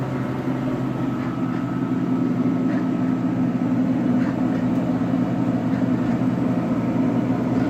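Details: Bunn ice drink frozen-beverage machine on a food truck, after blowing out the radiator for poor freezing: steady, even low hum with a faint constant tone and no knocks or rattles; the compressor is running normally.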